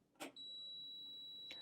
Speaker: That's the H2O indicator. So that's going to turn red, and it's going to start beeping at you. It's going to sound like this when you turn the machine on,